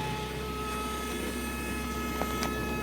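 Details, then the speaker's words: Nissan D21 pickup, NAP-Z dual-plug 2.4, with an exhaust flamethrower setup: a constant fine, steady electrical buzz from the relay feeding the rear coil. This is normal when wired correctly, and it fires a spark plug mounted inside the muffler. "but that buzzing is this this relay here if you have it wired upright it'll buzz like that"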